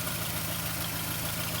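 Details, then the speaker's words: 1986 Ford Courier with a refurbished engine (over 1.3 million km), first run after fixing the king lead. A quiet, steady idle with light ticking from one valve on one side, likely a poorly seated valve; this is unconfirmed. "There's one uh there's one valve on this side, which you can hear quite a bit. So, I think one of them they didn't say too well, but other than that,"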